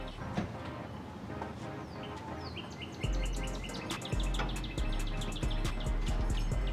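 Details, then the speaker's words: GD3 Honda Fit 1.5 L with short ram intake, just after HKS Hi-Power muffler install, first start: low, soft, even idle hum under birdsong, steady and unstrained; surprisingly quiet, healthy idle. "Surprisingly quiet. I'm sure it'll sound different once we give it a little rev."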